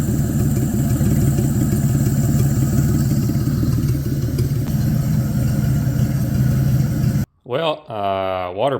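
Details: Abandoned 1950 Chevy 1-ton with 216 inline-six, first attempted start: steady, slightly uneven low idle chug with no distinct knock; earlier knock gone, owner suspects a loose clutch part rattling caused it, unconfirmed.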